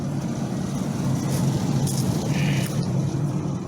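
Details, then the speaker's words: Camper van just fitted with a replacement engine, after an earlier misfire: steady, even engine drone with no knocks, ticks or misfires, light outside noise; engine now running smooth. "it's running smooth I don't know if you can hear it but it's running smooth"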